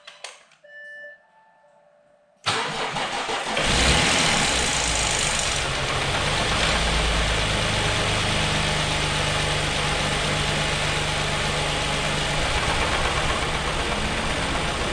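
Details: 2013 Audi A6, a non-runner brought back with a weak battery (10 V) boosted: silence, then the starter catches and the engine fires, flares and settles to an even idle; the cooling fan roars, and the owner is unsure whether one cylinder is misfiring.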